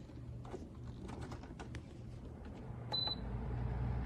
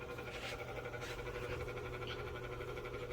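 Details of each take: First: Vornado 660 large whole-room air circulator fan on its low speed setting: a few control clicks, then a low, steady, airy hum swelling as the blades come up to speed; normal running. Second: Vornado air circulator fan on speed one (lowest): steady low hum with a faint fast pulsing flutter, while speed two is quiet; owner unsure why it sounds like this; fan noise at low speed.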